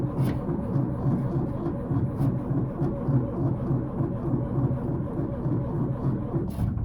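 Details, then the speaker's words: 1931 Ford Model A coupe, stored 4–5 years. Points filed, fresh gas, fuel line fixed, new battery, spark confirmed. Slow steady cranking for about 7 seconds with no firing. Carburetor looks flooded, suspected cause of no start. "Well, it certainly looks very flooded. I see a lot of fuel here, so that valve is going to be turned off, and maybe that's the problem now. It's just too darn flooded."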